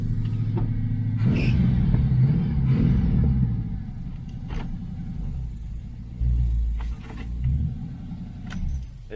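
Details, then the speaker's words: 1982 Chevy El Camino, 350 V8, carburetted, after a short drive: deep, even idle burble with no stumble or hunting; owner still suspects a carburetor problem and timing slightly off. "anyway seems to be idling good"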